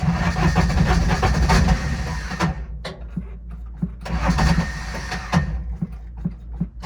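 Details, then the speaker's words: Older Intimidator diesel UTV in park, cold: runs briefly and dies, then slow uneven cranking pulses that don't catch; owner blames worn starter bendix and suspects faulty glow plugs. "oh my bendix is not good that's why i crank for so long"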